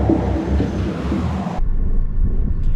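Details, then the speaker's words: Nissan Versa, likely a 2014, 90,097 miles, while driving: a heavy low rumble with a pulsing rot-rot-rot beat, a strong vibration. The cause is not found; the customer's actual complaint was intermittent overheating. "got a pretty wicked vibration going on out there. You can hear that rot, rot, rot."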